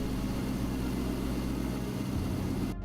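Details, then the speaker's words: 2000 C5 Corvette after replacing the top serpentine belt: engine idles steadily and smoothly with no chirp or squeal, so the worn belt itself caused the three-month chirping noise. "and now we're running the car and guess what there's no chirping sound so that means the belt was the problem which is really a good"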